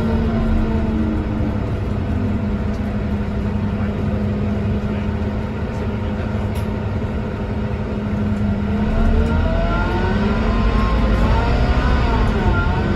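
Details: Scania K230UB bus (2009), Scania DC9-16-230 diesel engine with ZF Ecomat 4 6HP504C gearbox, recorded onboard in service: steady diesel drone and low hum, then a whine that rises and falls with road speed; abnormal engine noise, cause unclear.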